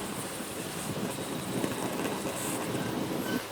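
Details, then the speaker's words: BRS multifuel stove on petrol during priming, with the valve fully off while the heated pipe vaporizes wet petrol. A soft, rushing roar holds fairly steady as vaporized fuel catches and the burner starts to fire. "You can actually hear it now starting to fire."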